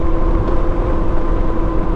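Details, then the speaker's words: Metzeler Karoo 3 knobby tires after about 2,000 km on a heavy adventure motorcycle, riding on asphalt: a constant droning hum rides over the engine note, so the worn tires are very noisy. "See, these are the tires. They are noisy. Very noisy. You can hear it even now."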